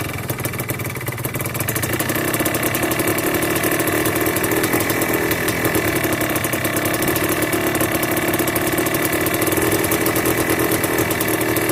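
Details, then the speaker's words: Yamaha Blaster 200cc two-stroke with FMF pipe, cold day, after rich needle swap, clip adjusted, pilot screw richened, idle screw adjusted: fast uneven idle, revs hang, light pinging; owner unsure if lean. "Not quite sure if that's a lean pop when it comes down and it wants to hang there and does that ding ding ding ding. I'm not sure if that's lean or not, but it's idling up a little bit better."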